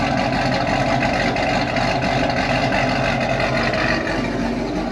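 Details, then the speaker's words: Z28 Camaro with stock LS7 V8 plus injectors, E85 and long-tube headers, before cam and cylinder head swap. Steady even rumble at constant high idle, no knocks, ticks or whine; healthy engine. "show you guys this thing sounds like right now it is a completely stock ls7"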